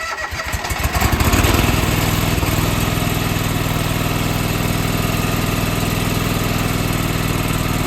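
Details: John Deere 425 garden tractor, sitting for months, with a new starter, fresh gas and a working fuel pump, on its first start attempt: several seconds of cranking catch into a firm start, then a steady, even run; it starts and runs healthy.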